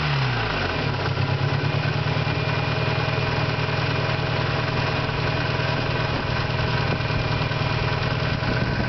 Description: 91 eagle talon tsi small 16g turbo, adjustable wastegate... i think either a pulley is going out or some valves are messed up or timing belt is being replaced in a week maybe its stretching the timing